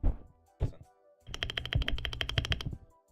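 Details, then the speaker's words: Rapid clacky presses on a regular, undamped mechanical-keyboard spacebar with tinny ringing rattle, very chattery; suggested fix is putting a little car dampener in it. "pretty chattery right yeah it's very chattery so what you do is you get some car dampener you can buy it for like 15 bucks on Amazon"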